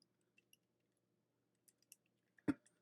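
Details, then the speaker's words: Zipp bicycle front wheel spun by hand, mic close to hub, buyer claimed bad bearings: near-silent spin with faint even whirr and a stray light click; bearings smooth and healthy. "i mean i don't hear anything but he keeps saying he hears something so he thinks the bearings are bad but they're running smooth and you don't feel any obstruction"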